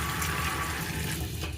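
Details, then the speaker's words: Digital gas water heater after repairing an ignition fault, switch on the water valve that would not open: steady rush of flowing water over a low, even burner roar, no clicking or sputtering; heater lit and running normally. "كده الحمد لله اشتغل"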